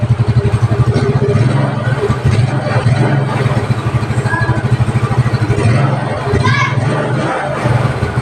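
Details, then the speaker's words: Yamaha Mio Sporty scooter that would not start, after carburetor cleaning and tuning plus hose and bulb fix; even regular low putter with no misses or stumbles; idle now clean and settled. "Okay po siya Okay na po yung kanyang idling Okay goods na"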